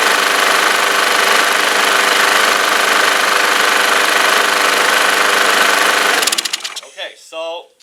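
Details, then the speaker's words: Troy-Bilt mower, Briggs flathead engine, neglected carb, running with carb cleaner sprayed and air filter removed: small single runs strong and even for about six seconds, no stumbling; clogged air filter was the restriction causing choking; normal running. "It seems like that the air filter was the restriction because it was stumbling, it was choking. Right now it sounds strong."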